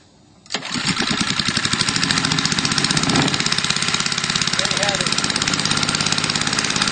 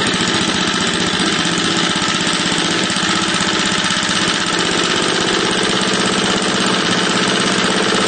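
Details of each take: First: A 3HP Tecumseh small engine (9.05 cu in) converted from gasoline to hydrogen gas, with the regulator at about 10 psi. It catches, then putters quickly and unevenly with a ragged edge and throttles poorly. A bright fire is blamed on incorrect hydrogen mixing; the owner suspects ignition timing. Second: 3 HP Tecumseh horizontal-shaft engine on a board, running on gasoline before hydrogen conversion, throttle low: steady buzzy single-cylinder putter, even and unbroken; normal idle.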